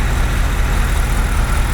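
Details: BMW X5 E70 N62 V8 biturbo after repair of engine knocking: steady, even low idle rumble with no tapping or knock; sounds healthy and smooth.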